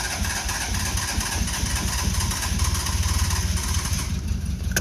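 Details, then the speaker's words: Neglected small French car, choke closed and carburetor bowls filled by hand: engine catches on poured fuel and chugs unevenly at a fast idle with a rough low thump; carburetor mixture still suspect. "running oh oh she was running well let's try again"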